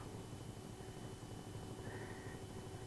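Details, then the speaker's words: Atwood RV heater blower motor run on 12 volts after cleaning and reassembling with brushes reseated, previously squealed: quiet, even low hum, no squeal or scraping; normal blower motor run after repair. "Yep, she's working. Absolutely no squeal at all."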